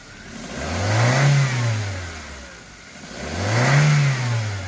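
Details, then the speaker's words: 2013 Chevrolet Spark 1.2 after repair of code P0352 misfire on two cylinders, caused by a wiring fault, not the already-replaced ignition coil: steady idle with two clean, smooth rev blips and no misfire or stumble; now running properly. "Y ahí está, ya funcionando bien. Vamos a acelerar un poquito."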